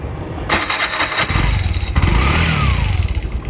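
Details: Bajaj BS4 self-starter after fitting new carbon brushes to a new starter that cranked slow: brisk whir, engine catches and runs on a steady low beat; normal starter cranking.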